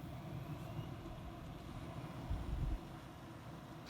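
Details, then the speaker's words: Computer power supply fan after owner disassembly, dust cleaning and cable tidying (previously hummed and rattled): soft, steady low hum with no rattle or buzz, running well and quietly. "работает отлично и тихо."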